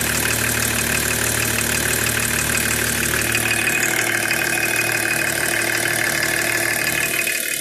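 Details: BMW E36 325td diesel at idle: sharp, regular ticking clatter about three beats per second over the rumble; abnormal engine noise of unknown source.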